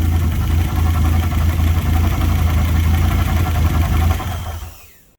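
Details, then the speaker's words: Fiat Punto GT, about 25 years old, unstarted 12 months, steady low idle with soft regular chuff three or four times a second; poor when cold, needs long revving; cause unconfirmed. "whenever I try and start it, I can always hear like a chuffing noise when it's idling, and it's really poor when the engine's cold on starting."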